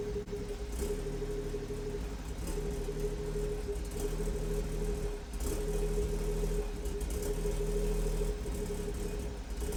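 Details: BMW M240i B58 after catless VRSF downpipe install: uneven low burble wavering under a steady whine at idle; rough idle, cause not yet pinned down.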